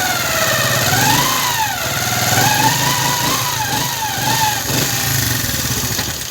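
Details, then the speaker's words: Motorcycle single idling after new pinion gear, clutch plates and faced clutch, noise persisting: busy mechanical clatter over exhaust and gear whine wavering with revs; very noisy engine traced to worn primary gear teeth. "तो इसका आपने आवाज़ भी सुना कैसे इसका आवाज़ बहुत ही ज़्यादा है, शोर कर रहा है इंजन, और इसका आवाज़ भी जूकट है।"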